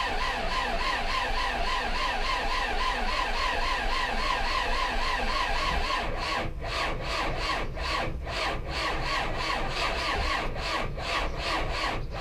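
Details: 2020 Belarus MTZ 82.1 tractor diesel: long, uneven churning crank with a pulsing rasp that does not catch cleanly. The engine is hard to start.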